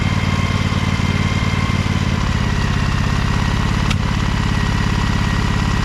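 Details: Little Wonder hedge trimmer, Briggs Vanguard 23 hp V-twin, after primer bulb replacement and carburetor clean, low throttle with brake on: even steady low thump, no misses, knocks or hunting; idles smoothly, normal idle.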